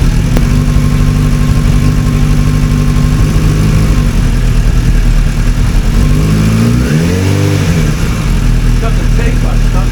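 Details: 1996 Suzuki Bandit GSF600S running for the first time after four months sitting and carburetor work (a missed jet was the problem): four-cylinder hum holds steady, then rises and falls cleanly with throttle blips, music behind; runs normally.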